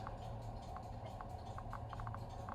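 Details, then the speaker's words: Victoreen CDV-700 6B civil defense Geiger counter, first tube tested with check source: sharp irregular clicks several per second over a faint hiss; tube working. "so that is a working tube all right let's try the other one yeah there it is random click every now and then I bring the check Source there is clicking"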